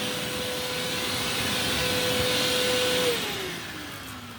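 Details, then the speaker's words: Eureka The Boss Capture bagless vacuum, curb find, running with bin refitted: steady high-pitched whine with strong, even airflow rush winding down at the end; suction noticeably improved, running normally. "All right, let's turn it on and see if we have a perceived improvement. Oh yeah. Oh yeah. Yeah, quite a bit."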